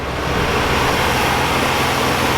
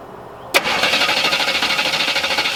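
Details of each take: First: 1978 Oldsmobile Cutlass V6 sitting since 2005, just started after sitting, carburetor has no accelerator pump; quiet, even idle firing on all six with no stumble; normal idle. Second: 1978 Oldsmobile Cutlass sitting since 2005, first start on new fuel pump with gas poured down the intake; quiet idle with a fast light tick keeping pace with the engine, fading as it runs, thin oil; lifter tick.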